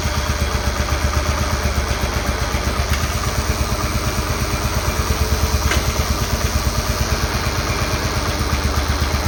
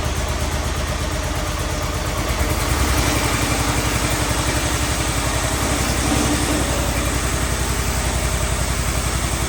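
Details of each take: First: Cub Cadet 1211 lawn tractor after 30mm transmission replacement, running while adjusting out creep with cam; small single-cylinder chugging at steady idle, even firing pulses, no knocks or clatter: normal running. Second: Cub Cadet 1211 with Kohler single, first test run after Cyclops 30mm hydrostatic transmission replacement: steady, even idle thump, unstrained; the new transmission still creeps and needs adjustment.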